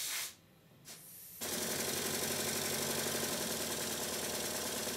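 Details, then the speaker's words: Stuart triple expansion model steam engine on about 40 psi, after modifying the low-pressure cylinder's valve gear eccentric sheave: an even rapid chuff of about four beats per second. It runs and sounds the same with the same power in both directions when the valve gear is reversed. "the engine runs exactly the same way in both directions with exactly the same amount of power according to my finger on the flywheel and when i reverse the valve gear as you can see it sounds the same"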